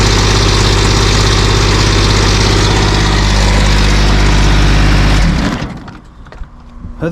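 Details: GR2100 diesel mower tractor (second unit, straightened but unbalanced driveshaft vibrating about 1/16 inch): steady, even diesel chug at roughly 200 beats a minute with no knock or shake, then clean shutdown; normal running.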